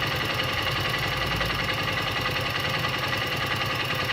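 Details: Honda XR 150 L motorcycle engine at idle: a steady idle with a dull, regular tapping a bit over three per second riding over the beat. Engine noise, cause unclear.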